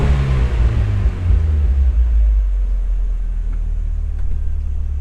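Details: 1996 Mazda Miata with idle surge while braking, at start-up with idle air control valve taped off: deep, slow, lumpy low idle from blocked idle bypass air; faulty IACV suspected.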